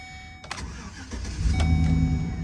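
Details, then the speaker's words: Auction car at a Copart yard on a hot day (about 80°F), likely already run earlier that day: short crank, catches at once and settles into a smooth, even idle; started right up, engine very smooth. "Started right up, and someone was definitely running it at some point today before us."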